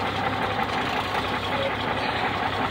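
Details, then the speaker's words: 1965 Mack B61 dump truck diesel idling in neutral after first start, around 70 psi air pressure: steady, even clatter with no misses or knocks; sounds real good. "With all that in neutral, that's starting to feel a little better since it's running. But hey, sounds sounds real good. I couldn't be more tickled."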